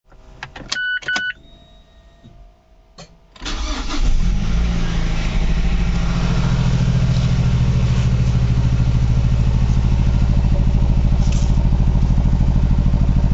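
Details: Mazdaspeed3 / MPS cold start: chimes, crank, then lumpy cold idle pulsing about three per second, looks like misfire, unconfirmed; rough idle.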